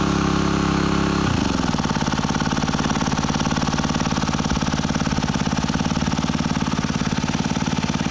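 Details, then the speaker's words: Honda WX15 1.5-inch water pump, bought new, started after sitting three years, on a high banker for gold prospecting; mic right beside it, steady even putter at constant speed, no knocks or misses, quiet: normal running. "Sitting right next to it, and I'm talking in a normal voice. Gotta love it."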